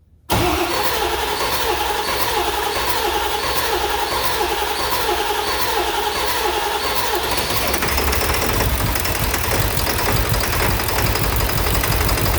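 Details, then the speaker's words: Ford 7.3L Powerstroke diesel after swapping the IPR valve: cranks briefly, fires straight away and settles into a steady, even clatter with no stumbling; the faulty IPR valve caused the no-start. "That was our problem the whole time. Stupid IPR valve."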